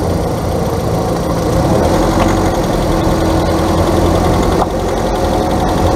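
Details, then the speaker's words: Car engine at idle: a light, quick continuous ticking ("clic clic clic"), unaffected by load, unlike the intermittent clack of a bad CV joint; misadjusted top-end valve lifters. "bien amigos el segundo cascabeleo o que nosotros podemos decir que se escucha como un cascabel usted lo puede oír que es más continuo el otro hacía clac clac clac clac en este es más continuo clic clic clic clic clic"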